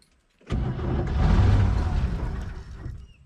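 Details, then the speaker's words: 1969 Chevy truck with inline six, parked about 30 years, new points, cap and rotor, gas poured in, in neutral; rough starter, then an uneven burst of low chuffing as it catches and stumbles; hard start, briefly fires and runs. "it tried to run come on there we go as you can see it's just pushing out animals and everything else it does run"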